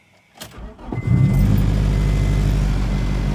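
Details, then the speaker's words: 1999 Acura Integra GSR right after replacing a bad fuel pump: the new pump primes, a quick crank catches within a second and settles into a steady, even idle with a clean low rumble. Healthy start. "See, easy fix. Got it back running. We good to go now."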